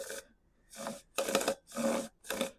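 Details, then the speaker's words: Stihl MS170 chainsaw used for trenching, chain pulled by hand: short rasping, gritty scraping strokes like sandpaper from dirt; the chain rolls but is gritty, and the saw needs a new bar, chain and drum sprocket. "the chain rolls but it's gritty"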